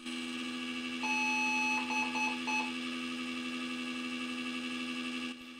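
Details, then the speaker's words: Retro PC on a temporary second motherboard of the same era, with a very noisy CPU fan: one long beep, then quick short beeps, reporting the missing graphics card. POST beep code. "all right I hear the series of error beeps that's much better than before as it's complaining about the missing graphics card"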